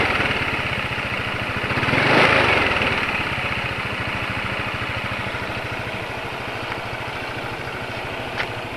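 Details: Single-cylinder motorcycle after an oil drain and refill with Ravenol TSi, replacing oil that had been giving piston-to-cylinder friction noise and suspected fuel dilution: a steady, even, smooth quick idle with no rattle or piston slap.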